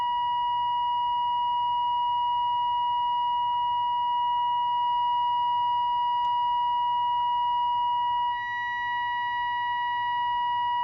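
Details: 1946 AWA 509M valve radio during alignment, tuned to 1500 kilocycles with a signal generator at 1500: a steady, clear whistle holds one pitch without drifting or crackling; the set is tuned in and receiving cleanly.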